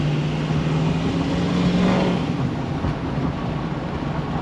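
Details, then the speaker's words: 2004 Ford 6.0L Powerstroke, 120,000 miles, after replacing the faulty exhaust back-pressure sensor: gentle roll into the throttle gives a steady low drone rising evenly, no hesitation; power restored, running normally. "So yep, she's got the power back. That was the same roll into the throttle that I did with the bad EBP sensor."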